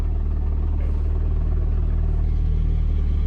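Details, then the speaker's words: 500+ hp 1.8T-swapped Toyota MR2 with light flywheel and multi-plate clutch, revs dropping to idle: low even rumble with fine rattle about four beats a second; normal multi-plate clutch idle rattle, not engine knock. "when the revs go lower, it does rattle a bit of idle. That's just life of having a multi-plate clutch."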